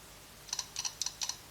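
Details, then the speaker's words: Stark IMT 200 Profi MIG/TIG/MMA inverter welder under repair with 24 V supplied to the power blocks: sharp paired clicks about four times a second as the relay chatters on and off, working intermittently; faulty relay to be replaced. "А вона все релюхи кранти називається вона То працює то не працює не зрозуміло релюха не працює реле під заміну"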